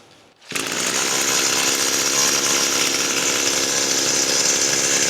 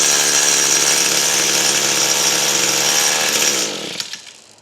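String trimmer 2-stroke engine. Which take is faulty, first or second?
second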